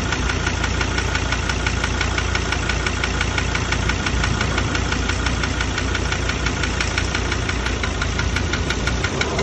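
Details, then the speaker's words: Ford Ranger diesel with only 66,000 km, idling with a loud, sharp, regular metallic knock about three per second. Owner reports no power loss and no oil consumption. Injectors or the engine itself are suspected, not confirmed; full replacement of engine, pump, injectors and turbo is advised. "Ele falou, ó, o motor não perdeu força, não deu uso do óleo, mas tem esse barulho feio aí. Pode ser bico, moçada."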